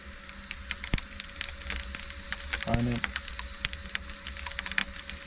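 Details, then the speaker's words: Mimsan 60,000-rated floor-heating boiler, chimney-cleaner packets burning in the firebox: scattered sharp crackles and pops over a low fire hum, like salt thrown on flames rather than popcorn; the cleaner is burning normally. "Aynen patlak mısır gibi değil de şu tuzu ateşe atarsanız ya aynı o şekilde"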